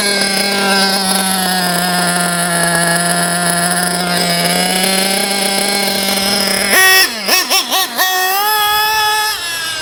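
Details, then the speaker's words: JQ Products THERTR nitro RC car engine during break-in, with idle lowered and the bottom-end needle closed: idles high and buzzy, then stumbles and sags on throttle blips, bogging from a too-lean low-end mixture. "I lower the idle at the same so if I lean the botom in too much it's going to want to bug I'll show"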